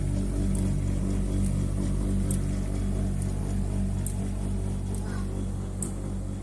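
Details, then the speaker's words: New-generation Bosch Avantix compressor (heat-pump) dryer running a program with a little wet laundry: heavy constant low rumble with a rattly hum and faint sharp ticks about once a second, rattling loudly; cause not yet found. "Сьогодні, значить, у нас сушилка Bosch. Вже якби такого нового покоління. І дуже сильно тарахтить."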